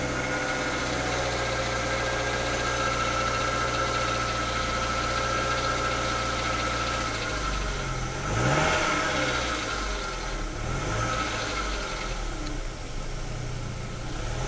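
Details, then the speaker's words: Rover 75 engine, cold-ish at 33 degrees, idle about 1000 rpm with bodged idle control valve: steady drone, then a loose rattling buzz only as throttle eases off, not at steady speed; owner suspects little ends rattling on overrun. "even in the car you can hear it sounds like little ends begin to rattle as you ease off. Keep it at steady speed, you don't get that rattling. It's only when you ease off."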